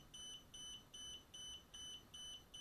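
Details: DJI Spark remote controller after power-on: high, sharp double beeps about two and a half times a second without pause, even after the app shows connected; continuous warning beep, not a connection or calibration issue.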